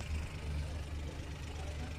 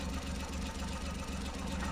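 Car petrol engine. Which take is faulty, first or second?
second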